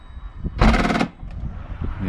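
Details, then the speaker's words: 2012 Range Rover Evoque tailgate latch fault, car won't lock: half-second burst of rapid mechanical rattling as the latch tries to close; actuator chattering from low battery voltage. "no idea why that done that [Music] some strange noises coming through that"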